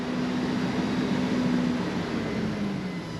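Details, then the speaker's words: 36-year-old Toyota Land Cruiser 60 Series engine hunting up and down, wavering and stumbling under light throttle. Owner suspects fuel starvation; the fuel pump is very loud, and debris may have passed a 100-micron filter. "Ninja's just going up and down on it so it's definitely starving to definitely starving into the fuel"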